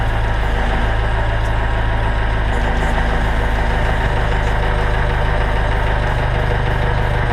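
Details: 1962 International Scout with a bone-stock engine, cold start after sitting in the shop all day, gas pedal pumped first. Steady low rumble, even throughout, with no misses or knocks: normal cold-start idle.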